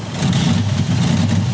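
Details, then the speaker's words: Stuck-open number five fuel injector: the engine cranks long and runs rough with a low, uneven, lumpy idle. The injector control wire reads flat zero volts with no control, and raw fuel shows as white smoke from the exhaust. "this is the number five injector control wire we got zero volts right now with the key off getting started up got a long crank time having trouble running"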